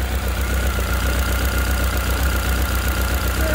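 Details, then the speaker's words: Honda CB1300 motorcycle just after full rebuild, cold start then settling to a steady, crisp tick-over: very slight tappet ticking laid over the idle beat, mild and not overly noticeable; no oil leaks seen. "Very slight tacketing, not not overly, not greatly."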